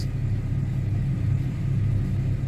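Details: 2010–2011 Chevy Camaro with check engine light, intermittent hard start and misfire counts on cylinders 1, 2 and 6, smelling rich; lumpy, uneven idle rumble, EVAP purge valve suspected but not confirmed.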